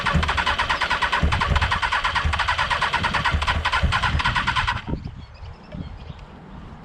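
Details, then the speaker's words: Motorcycle left standing covered for a month, first start attempt: the starter churns steadily for several seconds and never fires. It cranks but won't start; it is thought to need choke, and the engine later floods. "so obviously you can hear it turning over it probably just needs a bit of choke a bit of play and we'll get this thing going"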